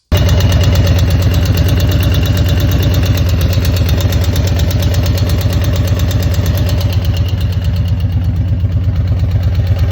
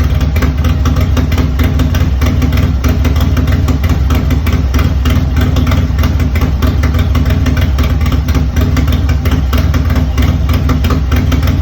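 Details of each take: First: Harley-Davidson Milwaukee 8 Road Glide V-twin idling with a steady light tick over its deep lope after a hard downshift on a built engine; no power loss or misfire; owner suspected a collapsed lifter. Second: Milwaukee-Eight Harley-Davidson Road Glide after a rebuild fixing a ticking noise, with Feuling HP+ lifters, Zippers 468 cam, Feuling beehive valve springs and new retainers: idles with a deep, loping thump and no top-end ticking.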